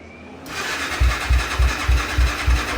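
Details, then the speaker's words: Polaris RZR 170 being swapped to a Honda 400EX engine, started in neutral on half choke with chain off: catches after a short crank and settles into an even thump about three beats a second, no knocks; head fine, cracked mount. Healthy start and run. "sounds fine that sounds good"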